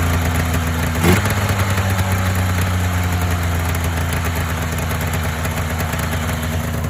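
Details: Polaris Indy 500 two-up two-stroke snowmobile on choke, first start after used-parts top-end rebuild following overheating, head gasket failure and no compression on one cylinder: catches with one quick rev, then holds a steady, buzzy, healthy idle.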